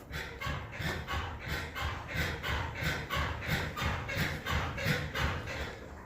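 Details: Suzuki Jimny parked and rocked by hand with hood closed: dry rhythmic creak, about three a second, from the hood rubbing at its contact points, not the suspension as suspected; treated with WD-40.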